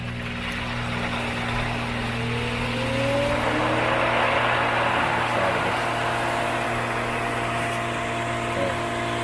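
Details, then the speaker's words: Pool pump repriming after losing prime: steady motor hum under rushing, gurgling hiss as the valve opens and air is worked out of the main drain line before the skimmer line is opened. "As we can see, all the air is getting worked out. Once all the air is pulled out of my main drain line, then what I'm going to do, I'm going to go ahead and close this off so I can open up my skimmer line."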